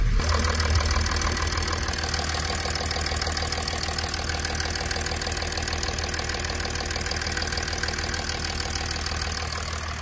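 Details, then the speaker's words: 2006 Mercedes CLK 320 3.0 V6 diesel OM642, after repair of limp mode fault 2513-1 and fuel filter reconnection, restarted: even steady idle with regular light tick about three per second, no misses or knocks, no faults; normal idle. "Seems to be all good. Right, no force detected. Just gonna idle check for any leaks at all."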